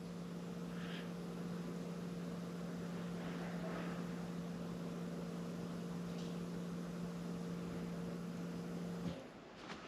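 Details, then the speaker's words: 2015 Jeep Grand Cherokee EcoDiesel after fuel filter change, key on without starting; steady low electric hum for about nine seconds, then a click and clean cutoff, normal fuel pump priming, repeated several times before starting. "you can hear it run and then you can hear it click and it'll stop you won't hear a noise anymore"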